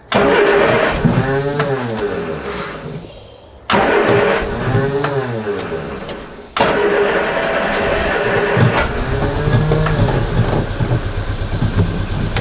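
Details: MG Midget with battery charged overnight: catches quickly, blips up and falls back in three quick rev bursts, then settles into an even running note; healthy start.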